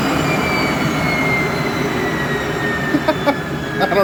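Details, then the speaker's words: 7.5HP (5.5kW) 3-phase regenerative ring blower on a 10HP VFD, coasting to a stop: smooth steady whine dropping in pitch, no rubbing or rattle; normal blower running. "actually that sounds a lot better now yeah I think we're good that is acceptable"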